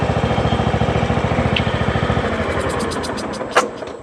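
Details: John Deere riding mower with Kohler Command engine after solenoid swapped onto carburetor; steady even single-cylinder thump at fast idle, then trails off at shutdown, runs clean and smooth: normal running.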